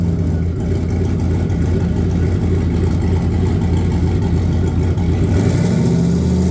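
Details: Vs Racing 78/75 billet next-gen 2.5, after fixing a crossover pipe exhaust leak: smooth, even engine note with a clean rev toward the end, no ticking or puffing from the exhaust; sounds healthy.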